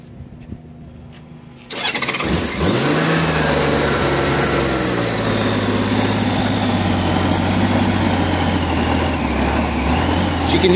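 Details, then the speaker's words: 1990 Honda Goldwing SE, 186,000 miles: cranks and catches, runs only on choke with uneven hunting idle, no knock or tick; gummed-up carburetors need cleaning. "it will not idle but it will it will run on choke it idles real rough"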